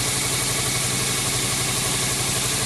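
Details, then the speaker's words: 1999 Subaru WRX GF8, EJ205 turbo flat-four, idling after a coolant flush and refill, nearing normal operating temperature: steady, slightly raised idle under a loud hiss as warm-up enrichment starts to slow; normal fast idle during warm-up. "So we're approaching normal operating temperature now. You can hear the warm-up enrichment cycle starting to slow down."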